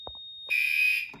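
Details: Garage fire alarm system with SK-5820XL panel, activated from a pull station during a test: a soft click, then a loud, steady high-pitched tone for about half a second that cuts off cleanly; alarm sounding normally.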